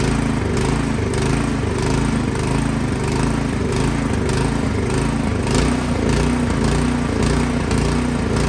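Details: Craftsman snowblower engine that started then died, after cleaning the carburetor without removing it: speed hunts and surges about every second; carburetor passage still clogged, fixed by removing and cleaning it.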